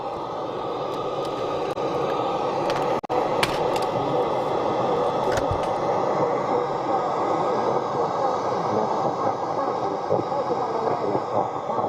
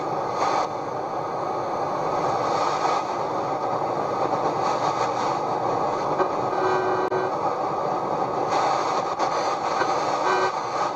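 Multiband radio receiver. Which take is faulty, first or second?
first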